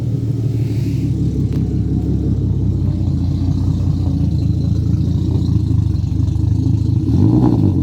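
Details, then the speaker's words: Turbo M50 in an E36 drift car with Bosch Green Giant injectors and Link ECU, started cold: deep, lumpy rumble with an uneven low beat; rough cold running because the tune is set for max throttle, not cold starts. "yeah it doesn't like cold start very much but it's not really tuned for that it's tuned to just go max throttle"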